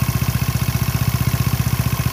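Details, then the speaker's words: Motorcycle with rough engine noise from the crankshaft pulley area at idle: rapid low thudding about twelve beats a second; worn rubber damper letting crank pulley rattle, fixed with rubber from an LPG gas seal. "dilihat sih dari sini kirian ini suaranya kembelicik banget enggak enak didengar"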